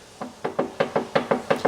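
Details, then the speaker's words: Land Rover engine with head removed, turned over by hand: crisp metallic knocks about five a second at TDC from number 4 rod with big end play; warranty claim refused. "Now you've took the head off, mate, we sort of turned it over by hand, and we could hear a little knocking on yep, you can hear TDC there, and we've found the issue. Number 4."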